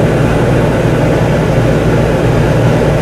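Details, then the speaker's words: Whynter ARC-14SH 14,000 BTU portable air conditioner in a bedroom, cooling mode at full fan speed, about 67 dB: loud steady even roar of compressor and fan with no knocks or rattles; running normally. "see guys this is loud right now in the cooling mode this unit is running on full fan speed"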